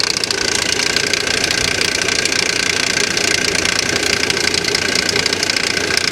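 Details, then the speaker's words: Salvage-auction vehicle sold as a non-runner, started: loud fast clattering knock at idle, about three beats a second over a harsh engine note; serious internal knock, suspected pulley or timing chain, unconfirmed. "now you hear that god-awful noise right what is that noise is that a pulley or is that a timing chain that sounds really bad"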